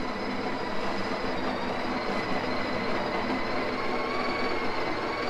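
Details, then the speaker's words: Coffee grinder owned going on five years, grinding espresso; steady high whine sitting low, owner says a little slow, a little tiring because it's getting old: motor running slow, worn. "again it's a little slow a little tiring but that's what happens it's getting old okay it's getting old"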